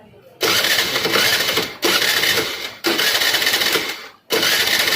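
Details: TVS Jupiter scooter that won't start, mechanic testing ignition coils, no current found: three short bursts of starter whirring, engine never catches; cranks with no spark, coil fault suspected.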